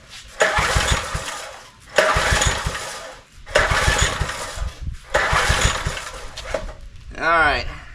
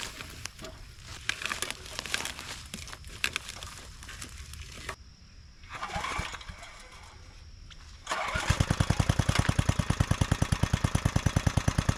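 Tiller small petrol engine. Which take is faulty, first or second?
first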